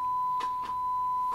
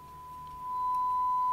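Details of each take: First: 1958 Fisher TR-1 transistor preamp fed a 1.7 V 1 kHz sine on input one: steady tone broken by scratchy crackles and brief dropouts as control moves; dirty potentiometer. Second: 1958 Fisher TR-1 transistor preamp after replacing all capacitors, fed a 1.7 V 1 kHz sine on input one into an amplifier: clean steady tone without hum or crackle; normal audio output, though the pot is dirty.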